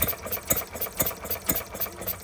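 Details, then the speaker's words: Stirling Kits Retrol G16 model stationary gas engine, first start after clearing a flooded plug; revs are adjustable and the fuel pump is not yet pumping. Crisp, even pops about two a second with light ticking; running cleanly. "Even sounds like a stationary engine. Even st sounds like a proper stationary engine the old ones."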